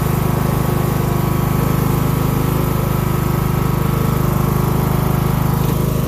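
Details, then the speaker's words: Craftsman LT1000 mower single-cylinder engine: steady, even low drone, no surging, burning off oil and likely water; owner believes it runs about 2000-2500 rpm instead of rated 3500, below rated speed, cause unconfirmed. "so if you can hear it i don't believe the engine is running at the highest rpm if it's supposed to run at like 3 500 it's probably running around 2 000 2500 that is"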